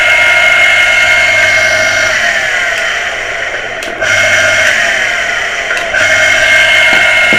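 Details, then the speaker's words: Water pressure pump motor after servicing for a humming, non-starting fault; steady, fairly high-pitched even hum with slight dips, spinning freely; motor now fully fixed, ready to reassemble and refit. "Guy motor हमारी बिल्कुल ठीक हो गई है अब बस इसको मैं पैक करूंगा और उसको मैं लगा दूंगा"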